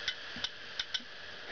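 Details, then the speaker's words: Western Digital 80 GB IDE hard drive, powered while opened with its movement being suppressed: four sharp, high clicks in under two seconds over a faint spin-up hiss as the head arm snaps back and forth; click of death. "as you can see it's spinning up and down and it's clicking the same oh crap doesn't like that I'm suppressing its movement"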